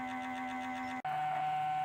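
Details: 2013 BMW E70 N63 after cooling system refresh, ignition on, before bleeding: steady electric hum as the small auxiliary coolant pump runs nonstop for three to four minutes; owner unsure whether this is normal.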